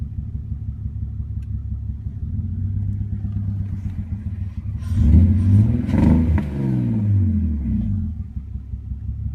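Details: 2001 BMW 330ci with catless headers and a Dinan cold air intake: random rough idle that almost stalls, and bogging with no power on acceleration; it runs fine for 5–10 minutes after a restart. MAF and idle valve were cleaned and no vacuum leaks found; cause unknown.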